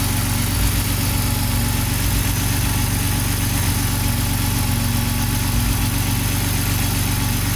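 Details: BMW (E60 M54 / E53 M62) with intermittent misfire, idling after the loose original LPG-harness connector was fixed: even, steady idle with no stumbles or dropouts even while wiring is moved; normal idle.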